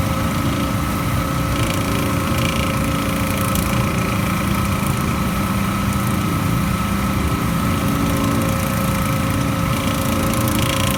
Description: We replaced the fan belt but the unit is still making this intermittent grinding noise.